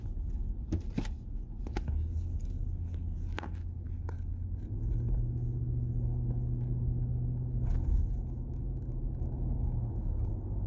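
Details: Nissan Patrol Y62 after rear hub bearing replacement for a humming noise: low, steady road rumble with no hum or growl rising with speed. Normal quiet drive.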